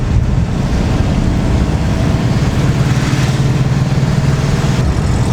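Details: Classic VW split-screen camper van on a night test drive after rocker cover work: deep, even engine rumble pulling steadily under acceleration with no knocks or misses; healthy and much improved.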